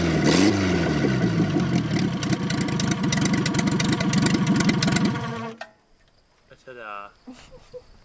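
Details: MG seized and sitting 42 years, engine swapped in a cornfield, cooling system filled, coil and fuel pump newly wired, first test run: engine runs firmly with a steady beat about five seconds, then shuts off cleanly; sounds healthy.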